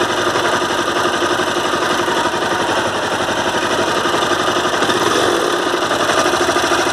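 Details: Honda CBR 250R at idle, noise for about a month: steady single-cylinder idle with a loose, irregular knock; service center blamed crankshaft and full engine replacement, owner doubts it; cause unconfirmed.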